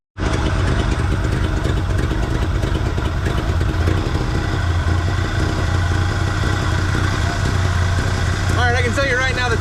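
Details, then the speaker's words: 1974 Chevy C10 dump truck abandoned for years, first runs on ancient fuel, smells of burning oil, timing unknown: loud steady low idle with slightly uneven lumpy beat; rough idle from ignition timing too retarded, later runs better with more timing. "it's idling even all right that's not terrible it's not great but I have no idea what the timing is I don't know what's going on and it's running on Ancient fuel"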